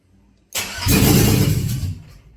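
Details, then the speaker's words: 2001 Cadillac Escalade 4.8 V8, not run in a while: short crank, catches and runs roughly about a second, then dies; spark, fuel pump present; VATS suspected, then ruled out; starts and stalls. "Another thing I haven't thought about either is the VATS. Because it starts and dies."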